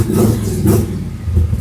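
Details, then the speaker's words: 1979 Camaro big block Chevy V8, long unused, started with a sip of two-stroke fuel in the carburetor after cleaning the starter solenoid contacts. It catches and revs cleanly with a deep, even rumble and no knocks or misses. "Come on, girl. Yeah! Woo! God, I love that sound."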